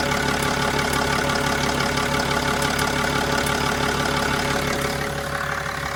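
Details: Mercedes E320 CDI diesel idling steadily with a light, regular ticking on top, about three ticks a second; cause unknown.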